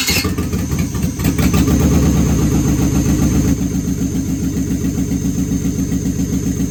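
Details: Used marketplace 6.0L LS V8 on an engine stand, running on a standalone harness, at its first-ever fire-up. It catches almost instantly, then settles into a loud, unmuffled but steady, even burble. Oil pressure is unknown and a little smoke was noted. Normal idle.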